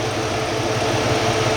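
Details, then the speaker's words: Jeep Cherokee XJ after a 160 amp alternator upgrade and a new serpentine belt with the adjuster extended: smooth, even idle with a faint steady accessory-belt hum, no squeal, knock or misfire; normal idle. "well hope you can hear me over the sound of the engine but everything's pretty much buttoned up"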